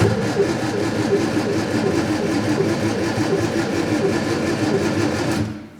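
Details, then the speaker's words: Scrapyard Fiat 600, no keys, fuel possibly not drawn up, brake cleaner sprayed down the carburetor: steady rapid starter cranking with no firing at all, then stops; smells like it's trying; owner suspects no spark and tests with a spark tester. "nothing just yet right okay perhaps we ain't got a spark shall we test it smells like it's trying to do something"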